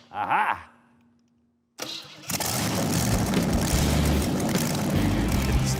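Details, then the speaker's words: Custom build engine fitted with the old original coil: brief crank, instant catch, steady even run with no misses or knocks; healthy engine. "and hey now, it works. All right, man. You're okay after all."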